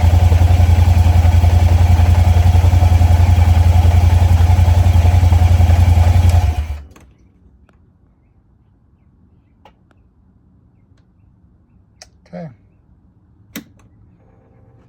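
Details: 2022 Kymco AK550, idling after a start test on an about two-year-old trickle-charged battery: deep, even low thrum for about six seconds, then a clean shutdown, no misfire; the battery held above 10 V at start.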